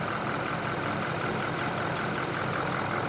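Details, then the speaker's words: Ford F250 6.7L diesel after repair from DEF fluid accidentally put in the fuel tank, warning light on: even steady diesel clatter with smooth tick, no miss or knock; normal healthy idle. "Yep. Sound great. Yeah, sounds good."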